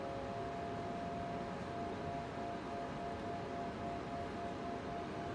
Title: Cooler Master MASTERLIQUID ML240L RGB Loud Noise